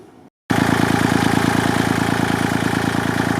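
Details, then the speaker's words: Kubota L2501 diesel tractor after replacing the stock mechanical fuel pump with an electric fuel pump and bleeding the system: catches instantly and settles into an even idle clatter around three beats a second, no misses or hunting; healthy idle. "Well, it's running fantastic."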